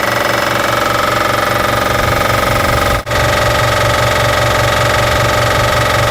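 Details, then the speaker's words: Air compressor after rewiring from 110 V to its proper 220 V supply (two hots and ground): steady motor hum with an even pumping beat about two and a half per second; running normally after the fix. "Working good."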